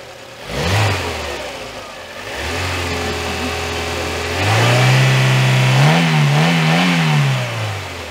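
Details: Petrol car after repair, antifreeze and oil service completed, started for a final check before delivery: catches, settles to steady idle, revs up and down smoothly and evenly, sounding normal.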